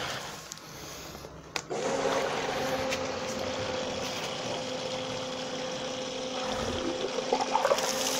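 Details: Bestway/Intex above-ground pool filter pump that had been straining with very weak flow, restarted on backwash after cleaning: a knock, then a steady mid-pitch hum with water rushing. Normal running.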